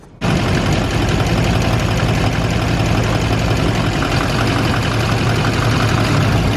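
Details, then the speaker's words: Duramax diesel at idle: a light quick tick runs over the steady idle clatter, keeping pace with engine speed; injectors being unplugged one at a time (passenger side 1-3-5-7, starting with #5) to find the ticking cylinder, cause unconfirmed. "we're going to go ahead and do every single injector and see if that ticking noise will go away if I was to pull that injector cuz that's going to be the problem right there"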